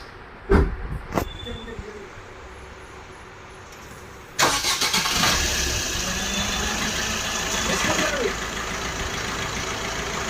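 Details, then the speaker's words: Maruti Suzuki Ciaz, left wheel jacked up and driven at 60+ km/h checking for a loud wheel bearing: after handling noise, steady even whir with no grinding, rumble or clicking; this bearing sounds normal. "अब यह वाला इस wheel को हमने 60 plus घुमाया है इसका जो साउंड है बिल्कुल नॉर्मल है"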